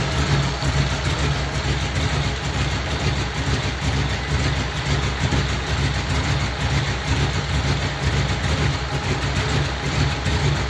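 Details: Model A roadster's old V8 (about 276 cubic inch, 4-inch stroke) idling after a year under a tarp, electric fan removed so it is run only briefly, generator belt misaligned: an even low-pitched pulsing idle, no knocks or misses, normal.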